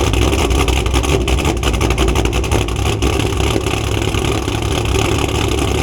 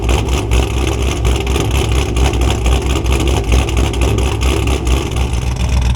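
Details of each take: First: Cammed V8 Camaro at idle, after coil packs were moved back to their original spots and O2 sensors cleaned: deep choppy cam lope with no missed beats or knocking, so the misfire and knock did not show this time. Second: Cammed Camaro at idle: starts fairly even, then drops to a slow, lumpy, uneven beat with stumbles, a misfire. It had gone away after disconnecting the battery to reset the ECU, so the owner suspects an electrical issue.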